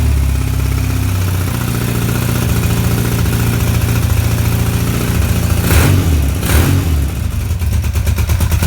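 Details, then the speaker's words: BMW R80 cafe racer twin idling with throttle blips after exhaust baffles were opened straight through; loud, throaty note, engine runs evenly; exhaust noticeably noisier, left as is for now. "okay so it is quite actually quite noisy but I like sounds like into a mimic so I think we're going to leave it like that for the time being"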